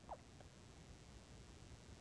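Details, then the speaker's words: Maspion standing fan on speed 1 after replacing the worn bushing with a bearing: soft steady low hum, no rattle or scraping, now smooth unlike the noisy weak-airflow start. "kita lihat berbeda dengan tadi di awal di sini sekarang suaranya pun sudah halus"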